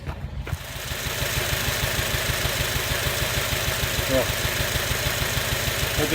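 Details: Misfiring 2006 Acura TSX starting and idling lumpy, unevenly and shaking; owner suspects a bad ignition coil or spark plug, to be tested by disconnecting coils one at a time.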